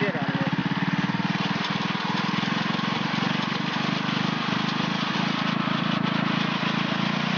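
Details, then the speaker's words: Stock, unmodded mini-Baja engine at full throttle: steady, even high-pitched buzz held flat at top revs with no surging or stumble, running at its usual governed maximum RPM; normal. "that right there is usually Max what you can get out of the motor if you haven't modded it"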